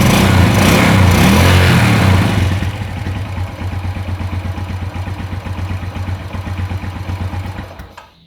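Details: Motorcycle after checking fuel, spark and compression and refitting the spark plug and plug cap: revs briefly, then drops to a regular, even idle of about three beats a second before shutting off; runs cleanly.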